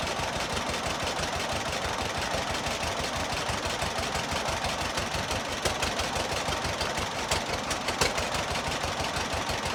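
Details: John Deere model B two-cylinder tractor, cold start, first start since summer, nearly dead battery yet fired right up: slow even putt-putt about three beats a second, steady firing, no misses; healthy idle.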